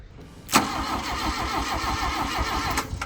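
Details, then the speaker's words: Long-stored Mk1 VW Golf cranked via jumper leads straight to the starter, with no distributor fitted: the starter turns it slowly with a lazy, uneven chug and it never fires. It sounds low on compression. "that sounds so low on on compression that's what every Mar one sounds like sounds so sad poor little guy"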